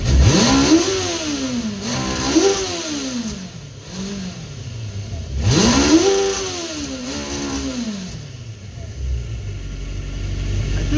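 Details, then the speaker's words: 1970 Honda N600 with its motorcycle engine and dual mufflers, at about 55°F. Crisp pickup through several quick blips with no stumble or bog, not flooding and fairly quiet: running healthy. "but anyhow it's revving up its eyes I'm good it's not flooding and it's fairly quiet can't even hear I'm a happy boy"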